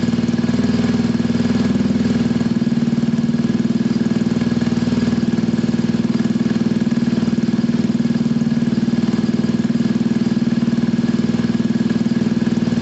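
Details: Scooter from a Gilera DNA 125 / Pulse Force 50cc project (which one is not stated), warming up, automatic choke possibly still on: steady, even putter at fast warm-up idle with a smooth, unchanging beat; owner says running is spot on.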